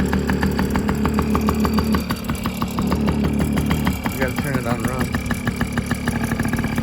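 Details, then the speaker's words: Yamaha PW50 dirt bike after full rebuild of carb, cylinder and top end, with compression and spark confirmed: crisp, quick two-stroke popping at a fairly steady idle, picking up briefly with throttle; engine runs healthy. "everything rebuilt carb cylinder top end has compression has spark all right i'm about to start this up so we can hear it run"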